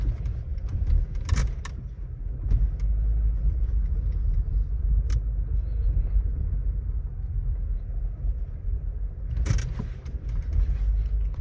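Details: Volkswagen Taigun GT Plus DSG driving on road; occasional light clicks and rattles over steady road rumble from the dashboard, which an authorized service center could not fix; dashboard rattle.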